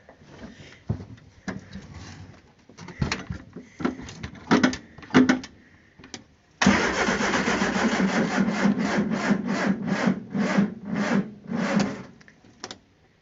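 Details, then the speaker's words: Barn-find Triumph Spitfire with freshly rebuilt, previously clogged carburettors: sluggish starter turns the engine in slow, uneven pulses, about two a second, never catching, as the battery is dead; slow crank before jumper cables are hooked up. "but Mike it's dead it was dead yeah I'm gonna go hook up the jumper cables"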